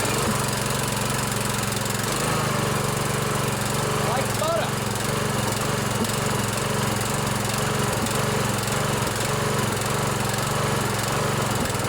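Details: 16 HP Briggs & Stratton single-cylinder OHV riding mower engine after valve adjustment, running on choke: steady, even chug at constant speed, no tapping or clatter; runs healthy.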